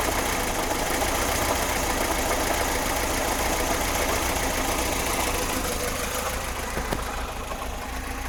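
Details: VAZ 2106 at idle, timing chain just replaced and tensioned: dull, fairly regular knock about three per second that sounds like bearing shells but doesn't change when spark plug leads are pulled; source still unclear.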